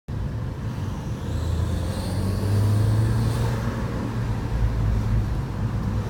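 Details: 2012 VW MK6 GTI engine under load: deep rumble with faint rising high whistle/squeal from a leaking exhaust manifold, fixed by replacing a manifold stud and gasket.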